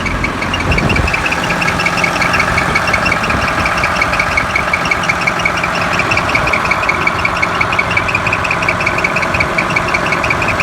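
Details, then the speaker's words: Cat D5G dozer diesel at high idle, after a limp mode, a shutdown and a low battery: a thin high chirp over the engine. The alternator fan belts are very loose and slipping, giving only 12.5 V output; fixed by tightening the belts. "First thing, go ahead and start the machine up, and we got a belt chirp. So pulled the side cover, and the alternator fan belts are very loose."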